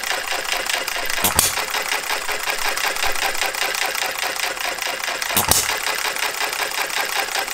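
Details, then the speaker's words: Jerry Howell Farm Boy model hit-and-miss engine on its first run, after fitting a Viton O-ring and setting the ignition: two sharp firing bursts about four seconds apart with quiet coasting ticks. Governor cycling normally, up to 650 rpm, firing at about 570. "that gets it up to 650 and it fires when it gets down to about 570."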